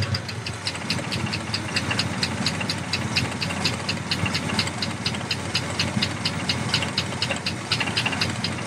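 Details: 1967 Impala with 327 small-block V8 idling: sharp steady tapping about two a second, newly appeared; vibration felt when driven, then loses compression and dies; cause unknown.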